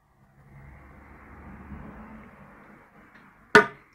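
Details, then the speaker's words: Samsung TV with shorted capacitor on the T-con board: faint low hum, then a sharp click as the set shuts off and tries to restart, cycling on and off. "empieza el sonido se dan cuenta amigos de esta manera es muy fácil diagnosticar escucha el sonido el televisor se apaga intenta encender hace ese sonido"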